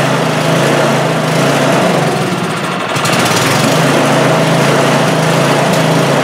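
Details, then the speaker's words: Craftsman snowblower small engine that wouldn't start: buzzing run with a brief mid-run sag, staying running only while primed or choked; starving for fuel, suspected plugged carburetor passage. "Doing is I was giving it the primer and she was running, so that tells me that that it's starving for fuel."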